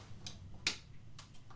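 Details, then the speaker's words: Amiga 3000 in a hot basement (about 31 °C): sharp irregular clicks about every half second over a faint low hum, owner says it is creaking from the heat; cause not confirmed. "we need the 3000 on turn that one back on you can hear it creaking because of the heat"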